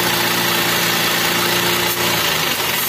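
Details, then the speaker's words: Toyota Avanza/Xenia petrol engine, hard long cranking, low power, timing found off earlier (P0008). Settling to idle with rough mechanical clatter and hiss, noisier as rpm drops. Suspected compression loss from hardened oil deposits on pistons/rings. "oke oke mulai menurun ketika rpm nya turun itu mau berisik deh"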